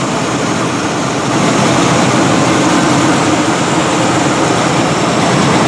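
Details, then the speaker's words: 1979 Chevrolet K10 4WD, matching-numbers 400 small block V8 with 350 turbo transmission, swapped intake manifold, thicker 8 mm wires, new air cleaner: loud steady rumble holding an even beat, no misses or stumbles; idling smoothly. "new air cleaner uh that's about it in here it runs great which uh I'll I'll crank it up for you in a minute"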